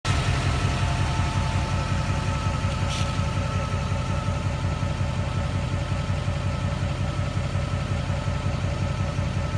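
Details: Duramax diesel at operating temperature (engine and transmission) in park idling: steady even clatter with a thin constant whine above it, best heard near the driver's door.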